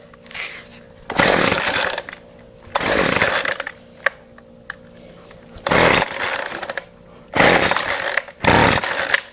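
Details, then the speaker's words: Weedeater Featherlite FL25 trimmer engine, half or full choke: five quick rasping starter-cord pulls with pauses, and it never fires; owner suspects fuel isn't getting through despite pumping the primer bulb, and spark plug is checked next. "so obviously fuel is not getting somewhere I mean I can pump the bulb"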